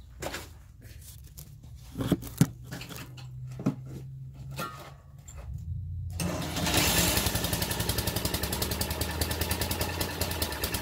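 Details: Briggs & Stratton 2 hp horizontal-shaft edger engine after carb clean and adjustment screw reseated, choke set midway: catches after a few pulls and settles into a quick, even putter at steady speed; running properly.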